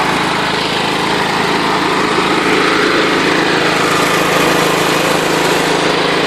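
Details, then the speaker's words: John Deere LT133 lawn tractor with a small Kohler Command single-cylinder engine, held at wide open throttle: a steady buzzing drone with a faint loose rattle whose source is unknown. "That's wide open throttle right there, so you can tell there's not a lot of travel in the throttle. Something's making a rattling noise. I'm not sure what it is."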